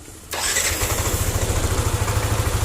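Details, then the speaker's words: Yamaha NMAX after repairing a rough noise at the front of the engine, with the camshaft bearing found among the causes: the engine catches quickly and settles into a steady, even idle without the earlier rough rattle, much improved. "hasilnya seperti ini nah hasilnya sudah mending daripada suara yang awal mula tadi awal mula datang kesini tadi orangnya kasar sekali"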